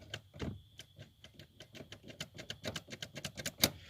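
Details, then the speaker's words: 1987 Chevy Celebrity Eurosport during an interior swap; clicking heard under the steering column, where the park-release cables for brake pedal and key connect; quick dry clicks about five a second; exact source not confirmed. "um but my main concern is because it has two cables one for the pedal to be depressed and the key on to turn for this to be able to take out a park um because I hear it clicking"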